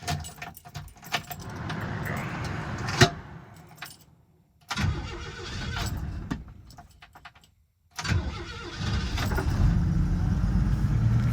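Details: Restored 1968 Pontiac Firebird Sprint with overhead-cam inline-six and triple Weber carbs: keys rattle, a short crank, then it catches cleanly into a steady, even idle; healthy start.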